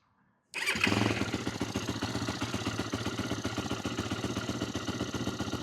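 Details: 2008 Yamaha YFZ450, a pieced-together ATV with the idle turned up, possibly low on gas: it starts abruptly, then idles lumpy and wavering on its single cylinder while the carburetor leaks badly: rough idle.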